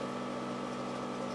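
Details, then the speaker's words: 1986 Toyota MR2 with eBay turbo conversion and rebuilt head, engine off before startup: constant mid-pitched electric hum/whirr from the turbo oil scavenge pump, no rattles. Scavenge pump running normally. "The noise you hear in the background is the scavenge"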